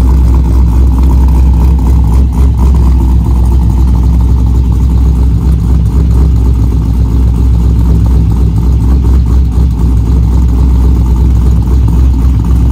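Deep lumpy V8 rumble with a choppy big-cam lope, revving up and down and pulling back cleanly; engine sounds healthy.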